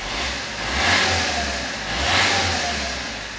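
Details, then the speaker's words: Vauxhall Corsa D diesel, low mileage (about 40k): two smooth throttle blips climbing and easing back with a coarse, clattery diesel note; owner feels it sounds nowhere near as nice as the other car; normal diesel revving. "but yeah if you listen to that just nowhere near I don't think as nice as that you have a little listen to"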